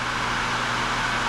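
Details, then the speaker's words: Pro-Cut on-the-car brake lathe mounted on the hub to machine a rotor, just started and auto-compensating: steady, even motor whir with constant low hum and no knocks or surges; normal operation. "Turn it on. Okay? Now, we push the start button. And it's compensating now. And it's all automatic."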